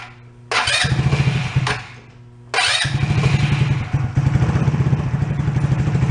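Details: ATV that had sat, after draining old fuel and adding fresh fuel: it fires, stalls, then restarts and settles into a steady, even, throaty putter with no misses or knocks; running healthy.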